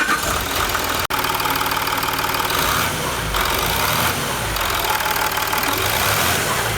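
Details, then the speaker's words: Land Rover Discovery 3 / LR3 with Ford Lion 2.7L TDV6 diesel after complete engine rebuild: steady, even diesel clatter at idle with no knocks or misses; oil pressure present and rising quickly, engine healthy. "look at that engine is running we got oil pressure and it's no longer broken"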